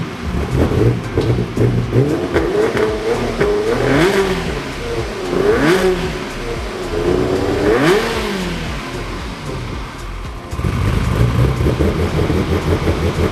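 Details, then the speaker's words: Ferrari 360 Spider after a temporary vacuum-leak patch: revs up and drops back in uneven surges with a ragged stumbling note. Misfire under revving; owners suspect more than two bad coils and possibly injectors. "It still does have a misfire."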